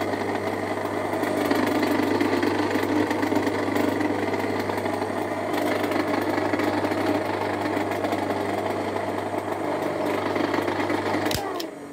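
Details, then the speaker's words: Electric motor (dinamo) with a loose fan/impeller bolt, not bad bearings: a loud, rough droning hum with a rattly knock over the motor note. "yang akan saya jelaskan di sini teman-teman itu kendor bagian baling-baling maka suaranya akan terdengar sangat berisik sekali dan mengerikan lagi ibaratnya gitu kan"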